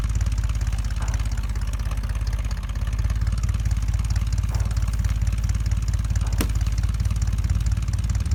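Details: 1975 Ford F-100 with 140,000 miles, abandoned 17 years, first start after revival work; deep, even burble holding a steady rhythm without misses or knocks; normal idle.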